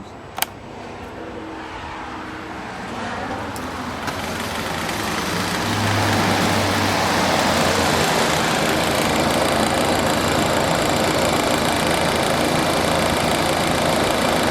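The rushing air builds over several seconds to an even, steady whoosh with no rattle or grind; the fan motor runs healthy.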